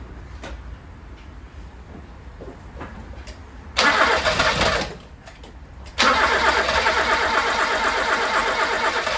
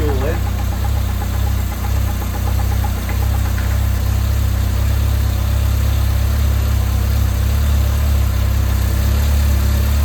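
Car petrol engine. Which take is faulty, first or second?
first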